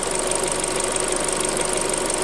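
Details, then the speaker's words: Hyundai Creta, before an oil change to GF5-spec oil: steady idle with fast, dense metallic ticking clatter; owner says it was worse in winter until warmed up; engine clatter at idle, cause not pinned down. "Так, ну вот, завел машинку. Попробую показать грохот, который меня не устраивает."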